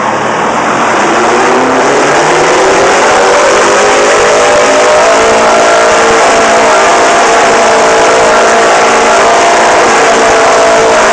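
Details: GMC 650 with a Detroit Diesel 4-71, first start after 30 years: the fuel rail sticks and the engine runs away, howling to a very high, steadily rising scream with no throttle, until it is choked out.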